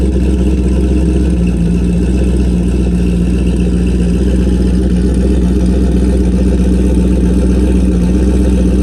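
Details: Car with new turbo and MAP sensor, started to check a leaking water pump gasket: deep, steady V8 idle with even rumble, no misses or knocks; healthy, no leaks so far.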